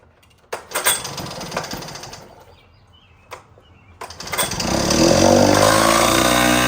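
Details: 1960s Cal Jet two-stroke outboard that sat for years, run in a water bucket after fresh fuel, choke on: a few clatters, then it catches and buzzes up unevenly with rising revs. Runs, but not crisply.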